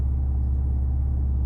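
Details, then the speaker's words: Alfa GTV after fuel pump rebuild fixed motorway power loss: short burst of even, deep engine rumble, no knocks, misses or rattles; runs healthy, new pump much quieter. "think we've got it folks i think that's it pomp swap successful how about that nice the car's done it runs"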